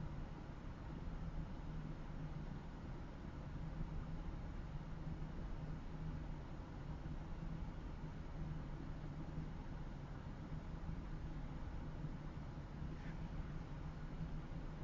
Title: Mazda 6s MTX Rough Idle